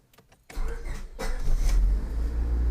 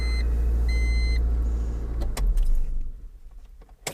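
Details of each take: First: 2000 Honda Civic LX, D16 SOHC engine, automatic, with an ongoing starter problem; the key switch was already replaced without fixing it. Halting, uneven, intermittent cranking before the engine catches and settles to a low idle: faulty starter, before replacement. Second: 2000 Honda Civic LX, D16 engine, automatic, after a starter replacement: crisp, short crank bursts catch quickly between warning chimes with no grinding or clicking; the new starter engages cleanly.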